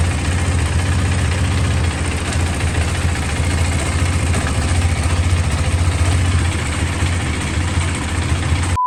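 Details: KTM RC390 single-cylinder at idle during gear check: steady even low thump with no knocking or clatter; engine and gearbox sound healthy.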